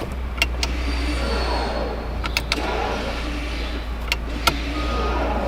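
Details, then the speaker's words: Water-damaged Porsche Macan being rebuilt, idling: a short electric motor whir with sharp clicks as the electronic parking brake operates, starting and stopping cleanly. Parking brake working normally. "Yeah, so that noise you just heard was the electronic um parking brake release."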